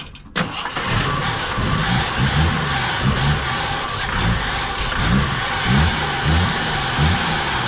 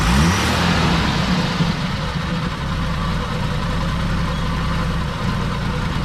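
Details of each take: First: 42-year-old army Jeep, not started since 2009, with starter fluid in the carb and fuel being added. Steady starter churn about a hundred turns a minute never catches, then stops; owner suspects fuel starvation or stale gas. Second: 42-year-old army Jeep, not started since 2009, after reconnecting fuel pump and carb and priming carb with gas: settles into steady even low rumble, no misses or knocks; idling on its own, still needs coolant.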